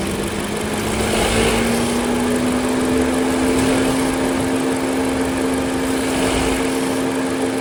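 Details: Honda Civic RS turbo after new serpentine belt, tensioner not yet replaced: steady idle with a low whine creeping slightly higher in pitch; about half the noise remains, likely from the tensioner.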